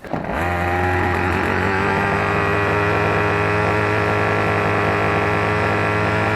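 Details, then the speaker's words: Troy-Bilt XP string trimmer with ZAMA C1U carburetor, idles but dies on any throttle; here runs at high speed only on choke with a steady high two-stroke buzz; lean running from a dirty carburetor, fixed by cleaning. "you'll see that that will pull enough gas to get some speed up on it but as soon as you touch a throttle on this model the choke turns off"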